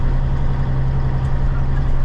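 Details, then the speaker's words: Cabover diesel truck driving at night with new alternator belts: even low drone with no squeal or chirp, the belts running quiet and healthy, though the driver says they squealed a little when he revved it while sitting. "Yeah, it don't take spilling at all. That's what I'm talking about. Maybe they might be a little bit, but They don't sound bad."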